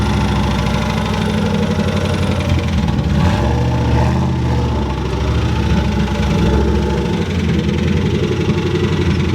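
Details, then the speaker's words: Turbocharged Ford Mustang Bullitt that hesitated all day, after a hard pull: rough, lumpy idle with dull low knock through the rumble. Rod knock. "it was acting a little weird all night and then it cleared up started running great they always say they run great before they blow up and then we got rod knock"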